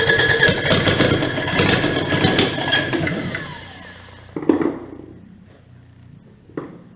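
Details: Kubota D722 three-cylinder diesel after injection pump work: uneven clatter that stumbles, fades and dies with stray knocks. Rough running from air drawn in with the fuel.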